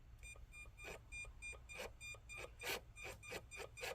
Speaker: And now you turn on your ESC. And what do you know? I heard some stuff going on, so we're bound.